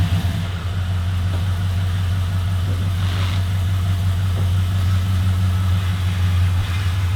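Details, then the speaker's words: LS-swapped HQ Holden V8 at first start-up, running through a newly fitted 2.5" stainless exhaust. It holds a deep, steady burble at idle with an even low rumble and no knocks or misses, a healthy idle. "that sounds wicked that actually sounds really good"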